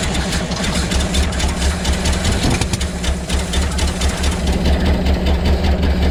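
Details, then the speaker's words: 1975 Ford F750 pipeline truck restarted after sitting, with cleaning fluid and stabilizer added to the fuel: low, lumpy idle with uneven thumps about twice a second that never settles, though better than before. Rough idle, cause unconfirmed. "so so oh it's better than it's been i don't see nothing that spit out of that that's good"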